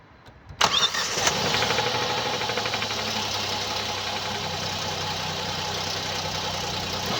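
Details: 2017 Hyundai i30 PDE, 2.0 petrol G3LS (88 kW), 77,160 km: after start the idle carries a fast light tapping, steady with engine speed; top-end ticking attributed to defective hydraulic lifters.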